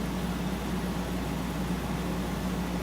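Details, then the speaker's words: Frigidaire 12,000 BTU window air conditioner started on low cool for the first time since last year, refrigerant audibly flowing: deep, even rumble with a smooth airflow hiss and no squeal or rattle; running normally and already cooling. "It's already cooling down, so this thing's gonna run good here. 12,000 BTUs. You can hear Freon starting to go through it."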